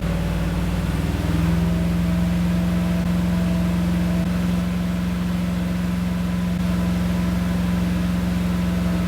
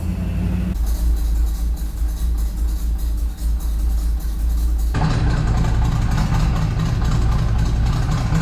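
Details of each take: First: Freshly assembled small block V8 with Comp Cams XE268 cam, new lifters and pushrods, in an '85 C10, first start and cam break-in at about 2,500 rpm, good oil pressure: steady, even drone, no knocks, ticks or misses. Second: Freshly built small block V8 with Comp Cams XE268 cam in an '85 C10, after 25-minute cam break-in at 2,500 rpm: lumpy, loping idle barely hanging on, won't idle on its own until throttle screw turned in; timing and carb not yet tuned.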